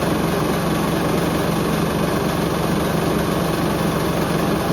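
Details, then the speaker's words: Hoover Link HL1682D3 washing machine with damaged, dented leaning cabinet and twisted door seal, on spin: loud constant roar with fast uneven low rattle and banging; cabinet rattling from damage, though it still works. "I could barely hear the mic I could just hear the whole machine just rattling wow fair play to this H I'll give it that"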